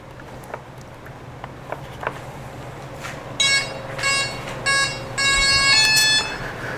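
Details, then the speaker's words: XFly Glastar RC plane during assembly and control setup; short buzzing bursts a few seconds apart after faint ticks as a servo jitters in place, cause unknown. Servo jitter buzzing. "i don't know why it keeps doing that little jitter thing i have to look at that momentarily"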